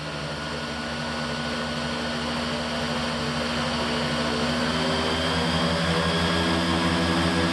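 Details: Raptor prototype aircraft engine, ECU-equipped, warming up on a ground test run for fuel-burn comparison, brought briefly to just under 3300 rpm then back to 2700: smooth climbing propeller drone, even beat, no misses; normal run-up.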